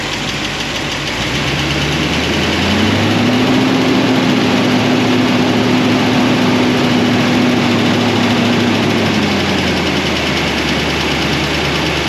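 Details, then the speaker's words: 1976 Corvette V8 with solid roller lifters on a hydraulic roller cam, warm idle after a heat cycle, lash reset from 10 toward 5 thousandths: light fast valvetrain tick over a steady rumble, quieter than before, from pushrods rubbing guide plates. "We're letting it run. It's still making a little bit of noise, but not as bad as before."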